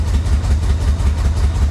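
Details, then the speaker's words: Flood-damaged Florida Corvette running, fuel pump resubmerged in tank, pedal to the floor: deep heavy uneven lumpy throb with heavy smoke; running rough, cause unknown. "obviously it's it's not very happy but it's running I mean what more do you want"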